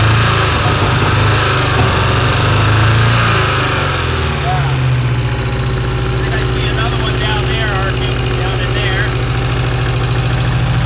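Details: Porsche 924 Turbo that long ran poorly, idling in the shop: uneven, lumpy idle with a steady low thump that keeps stumbling; one cylinder dead from an arcing plug wire with its insulation gone.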